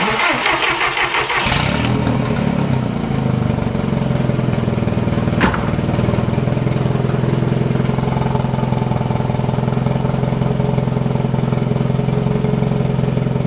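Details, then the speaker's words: Golf Mk1 4Motion AWD turbo engine cranks, catches and settles to a lumpy idle with a rapid puffing tick after re-tightening manifold-to-turbo bolts; still leaking, apparently not the gasket but a hole in the turbo's exhaust side. "actually actually it seems like it's it's definitely leaking uh but it seems like it's not from the gasket between the the the manifold and the turbo hold on seems like there is actually a hole in the exhaust side of the turbo"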